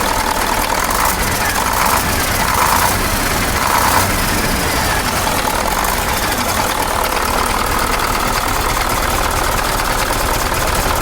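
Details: KamAZ 740 Euro 2 diesel after reassembly and valve adjustment, restarted following a knocking complaint: even, steady idle clatter with no stray knock; engine sounds healthy now.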